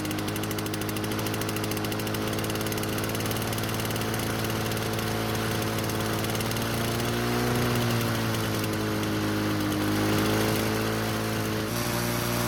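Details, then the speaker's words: Lawnboy two-stroke mower after bending the governor spring to fix engine speed control: steady buzzing that drifts only slightly, high and medium speed work but no low speed or slow idle; speed control fault remains. "So in the end, it's better, but it's not great. I have high speed and medium speed, but not low speed."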